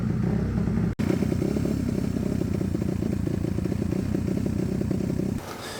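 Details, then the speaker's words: 2006 Suzuki RMZ250 four-stroke dirt bike, started first kick, idle then adjusted down; steady even low putter at idle, no misses, running properly. "literally first kick fired right up and I was able to turn the idle down to make it idle properly"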